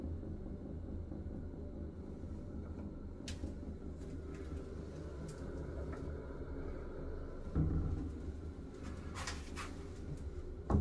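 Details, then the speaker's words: Bathroom exhaust fan running: low droning hum swelling louder as the ceiling panel vibrates, caused by spare tiles left resting on top of the ceiling panel. "으 no 자 지금 보시면 환풍기가 돌아가면서 지금 이 최종 계통이 진동이 생기는 데요"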